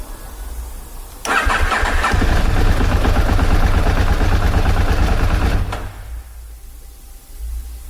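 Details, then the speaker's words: KTM motorcycle with P0130 O2 sensor fault code and engine light on, cold start: cranks about a second, stumbles into rough uneven running and drops off; hard start returned after new spark plug helped two days, fuel believed fine, owner suspects oxygen sensor. "The bike feels a lot better, but it's gone back to doing its hard start problem. So obviously it's cold. I'm gonna try to fire it up."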